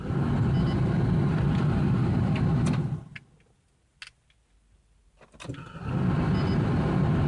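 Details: 1993 Ford Taurus SHO, manual, with its fuel pump, filter, sensors, plugs, injectors, ignition module, coil pack and CCRM replaced. Steady cranking at about three turns a second, a pause, then more cranking with no catch. Spark is present, fuel is unconfirmed, and the fuel pressure regulator was reverted to the original.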